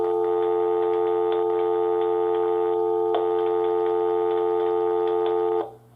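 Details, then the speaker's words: Interlogix NX-8v2 alarm panel wired in series with the phone line, armed in stay mode during the last 10 seconds of the exit delay: a steady dial tone with faint clicks cuts out abruptly as the panel seizes the phone line. "And you hear that the dial tone cut out. And that is the security system seizing the phone line."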